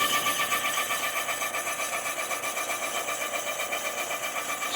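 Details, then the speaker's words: Honda CB400 cylinder rebore to 0.75 oversize (71.25 mm) after sand ingestion; even, steady cutting hiss with light regular chatter, no squeal or judder, only cast-iron dust: normal, clean boring bar pass. "Não vai dar para enxergar nada enquanto ela não terminar o serviço. Barulhinho tá indo bem, né?"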